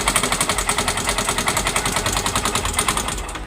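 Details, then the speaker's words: Yamaha Mio M3 125 scooter, hard starting, running with CVT cover removed: harsh rapid metallic rattle, about three to four knocks a second, dry oil-starved bottom-end knock; engine knock from oil starvation after overdue oil change. "Bunyi mesinnya masih keras, Guys, ya. Suaranya masih keras, Guys,"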